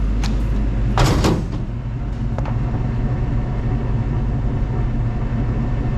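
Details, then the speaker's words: Van parked since 2018, fitted with untested used 350 Chevy small-block, test drive with exhaust moved to the side: deep steady growl, drone and early clunk from the rear driveline with slight vibration; cause unknown, owner wonders about the carrier bearing. "but it sounds like the world's coming apart in here and it's vibrating just a little bit"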